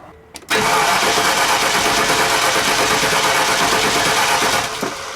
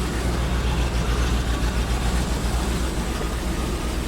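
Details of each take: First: 2001 Land Rover compression check, cranking at wide-open throttle: steady, even starter cranking with a uniform beat, reading about 119–120. One wet spark plug points to a misfire, but there is no dead cylinder. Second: 2001 Land Rover with a misfire at idle, heard after a spark plug was checked and plugged back in: a deep, uneven, stumbling idle with dropped pulses. Codes were cleared; the mechanic suspects plug wires, not the coils.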